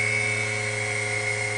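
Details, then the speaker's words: Steady high-pitched whine with a lower hum from the dynamotor supplying high voltage to a WWII-era RT-7/APN-1 radar altimeter at switch-on, as tubes warm; normal dynamotor whine. "So let's switch it on, see what we have. You'll hear a whine from the dynamotor."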